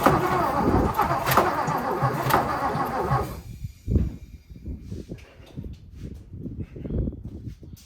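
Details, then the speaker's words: 1957 Lincoln Premiere: loud burst, then steady rhythmic cranking as the engine tries to catch but never fires; now sucking fuel in through the intake instead of blowing it out. Crank, no start; cause suspected, not confirmed. "sure sound like she wanted to that time huh she's actually sucking the gas this time instead of blowing it out the car"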